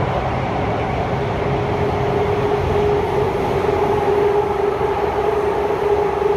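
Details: Kawasaki Heavy Industries C151 train 101/102, North South Line, Marina Bay to Marina South Pier, onboard: constant rail roar with a thin wavering squeal on top; wheel screech, cause undetermined.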